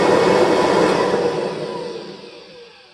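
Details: 1988 Kirby Heritage II Legend run with brush rolls off, one of two machines compared before the Ohio one gets new bearings. Smooth hum falls steadily in pitch and volume as the motor coasts down, with no grinding or rattle; bearings sound healthy.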